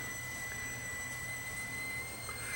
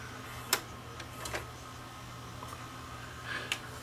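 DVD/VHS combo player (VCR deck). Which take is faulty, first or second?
first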